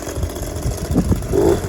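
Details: Echo PB230LN handheld blower after a carb kit for a hardened fuel pump diaphragm, fresh fuel and a new purge hose, restarted after sitting an hour: it catches and settles into a quick, even two-stroke buzz with no stumbling; runs properly.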